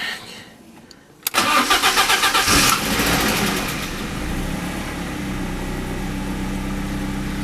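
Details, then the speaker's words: BMW E36 cold start in winter after fixing worn intake rubber piece behind air mass meter suspected of causing air leak and rough idle: brief crank, catches at once, steady fast idle, high revs attributed to cold engine; normal. "Idling at pretty high revs, but I think it's because of the cold engine."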